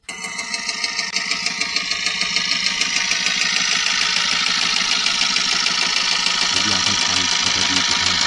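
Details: Eicher truck diesel that broke down with heavy engine noise, suspected at the piston, and blow-by; coolant cooler checked: idles with a sharp, regular knock about three per second in time with the engine beat; internal knock, cause unconfirmed.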